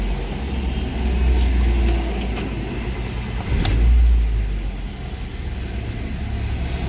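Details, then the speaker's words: Honda Jazz with check engine light and low-speed rpm hunting, IACV suspected, after restart with check engine off: cold idle above 1000 rpm, even hum with gentle swells, settling gradually toward 850; normal cold fast idle. "Nah ini normalnya ya CV itu bekerja dalam kondisi dingin rpm nya masih tinggi ya di atas 1000 jadi nanti rpm nya ini akan turun bertahap sampai 850 dalam kondisi stasioner normal ya"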